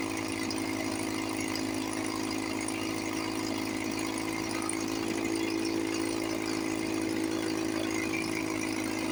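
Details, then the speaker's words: 1954 Johnson 5.5HP two-stroke outboard, barn find revived after about 60 years with cylinder head work, cover on, fuel bulb hand-pumped, water pump pumping nice. Even, quick buzzing beat with steady pitch, no misses: normal running. "Sounds sweet. run for a few minutes before I got to pump the bowl again. Water pump's pumping nice."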